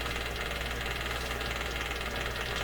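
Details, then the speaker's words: Westinghouse 636 shortwave radio tuned near 11.8 MHz: steady rapid putt-putt pulsing over a hum and hiss, unchanged with the radio switched off; outside interference, source untraced, possibly house wiring. "Okay, demonstration of the putt-putt. It's really going."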